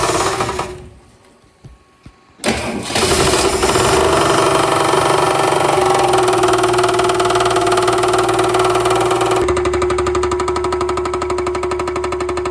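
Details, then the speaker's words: 1962 Ford Falcon replacement engine after rod knock, first run: steady fast metallic knock over rough idle, tinny and echoey, louder as engine rotates; suspected something hitting the oil pan, flywheel checked fine with hairline crack, cause unconfirmed. "So, this engine's I mean, you heard the knocking sound, but it's very tingy and echoey. So, it sounds like it's something hitting the oil pan because it gets louder as the uh engine rotates."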